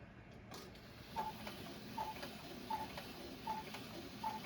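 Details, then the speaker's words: Vintage gravity-driven wall cuckoo clock, before repair: steady tick about eighty a minute runs past the hour with no chime or cuckoo call; the bird only wiggles the door and can't come out, so the strike isn't working. "And the little bird tries to come out. He wiggles the door, but he can't quite make it happen."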